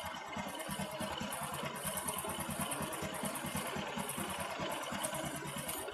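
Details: Motorcycle idling with a fast metallic tick-tick rattle over the exhaust beat that comes and goes, from a cam chain tensioner lifter not keeping pressure on a slack cam chain.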